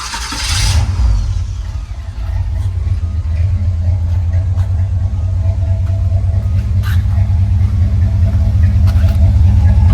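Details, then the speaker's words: Car just after new exhaust installed, previous leak fixed: fires up with a blip, then settles to a deep even rumble with no ticking or puffing; exhaust sealed, normal note. "sound good man I love it"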